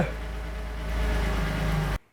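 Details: Porsche after intermediate shaft (IMS) bearing replacement, first start with the fuel pump fuse reinstalled after oil-priming cranks: smooth, steady low hum for about two seconds, then it shuts off; no knocks or rattles, runs healthy.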